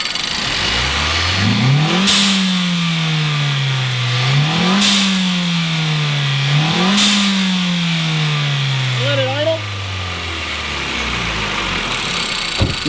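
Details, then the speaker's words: Nissan just after blow-off valve installation; three quick revs each with sharp venting hiss as throttle snaps shut, then steady idle that never stumbles or stalls; normal. "it didn't stall out. Still idling totally fine."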